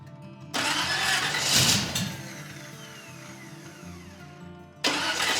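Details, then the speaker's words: Custom hot rod (Space Junkie) with exotic dual carburetors, first start after reassembly: starter drags the engine over slowly and sounds odd before it fires, catches and settles into a steady run; slow cranking, needs tuning. "Yeah, it's cranking kind of slow. The starter sounds funny."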